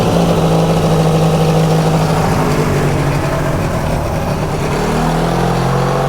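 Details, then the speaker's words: Subaru Sambar kei van engine after 25+ years sitting, running after a broken spark plug wire was replaced; steady even drone with no misses, knocks or rattles; normal running. "Oh, well, that's one thing down. The motor runs."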